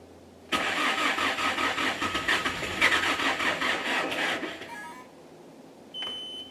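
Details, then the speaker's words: S530 skid steer in snow with electrical issues: slow, labored cranking pulsing about twice a second for four seconds, never catches; battery lacks charge, came close to turning over. "I've tried it a couple times it's come really close to turning over but I think that just not enough juice I don't have enough time to charge it all all the way to get it to turn over"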